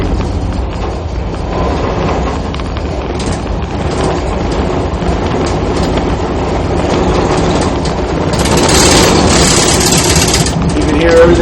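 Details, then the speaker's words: Tug maneuvering hard to get the bow out during a landing in a strong flood tide. A heavy low rumble with uneven shaking, rattling and popping from propeller cavitation under heavy load; this borrowed boat shakes more than their own. "shaking and popping and uh that's really say that's from cavitation"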